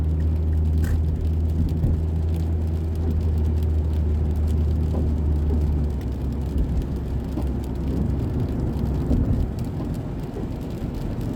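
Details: 2006 Mazda 3 2.0-litre on a road test after engine and transmission mount replacement for rattling/popping noise: steady low road rumble under rain hiss, no clunks or thumps through the drive; normal driving.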